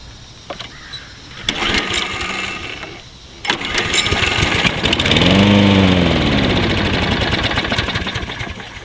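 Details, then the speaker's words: Toro Personal Pace 20332 mower, stored with old stale gas, hard to start: after starter pulls it fires on sprayed carburetor cleaner, revs unevenly a few seconds and dies; runs briefly then dies, carburetor likely clogged by old gas, suspected. "it still does have gas in it it's hard to start to in there I won't start at all and we'll spray some carburetor cleaner in here and I'll show you that it will start and cut off"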